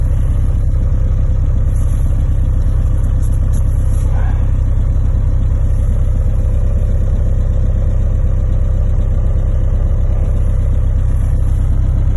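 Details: Diesel cold start at −3°C after sitting 6 days, 2 years after an injection pump repair: even cold idle clatter at about 214 firing beats a minute with no stumbles or misses; normal, healthy cold idle.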